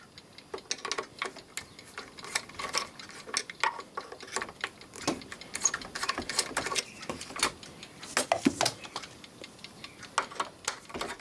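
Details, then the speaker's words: Landis & Gyr / Osaki mechanical time switch after half an hour of running, having advanced about half an hour: light, crisp, steady ticking with no dragging or grinding. Normal escapement ticking; the unit is working well. "there we go that's after half an hour sitting there running nipping it's advanced half an hour too thereabouts that one's working good"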